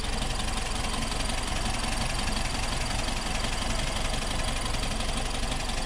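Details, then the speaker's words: 1964 VW Type 34 Ghia, air-cooled, sitting since 1983 and first fired after about 38 years on rebuilt carbs. Rough, uneven idle with rapid ticking on one side, about three per second. The owner suspects a loose spark plug; not confirmed. "we're getting kind of a kind of a goofy sound over on this side i don't know listen to this i think that plug's loose"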